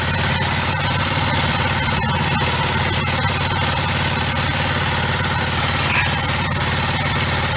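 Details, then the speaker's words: Kawasaki ER5 twin after oil, filter, air filter, spark plug and cap service: even, steady idle with no misses, knocks or rattles; running as it should, no leaks from filter or fuel tap. "so Joe car I think she sounds like she's running as she should um"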